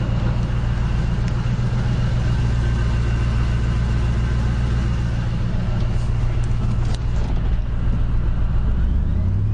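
Deep, heavy engine rumble with an uneven low throb that never settles; feels like a misfire or something loose shaking. Cause suspected, not confirmed.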